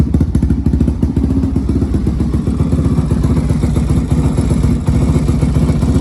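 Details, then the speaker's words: Honda 400EX single-cylinder ATV after crankshaft rebuild, new spark plug fitted, choke off; deep, lumpy, uneven low idle thump, blowing black smoke, running super rich; removing airbox lid helped somewhat, jetting needs adjustment. "you can see how it's blowing black smoke out the exhaust that's cuz it's running super rich"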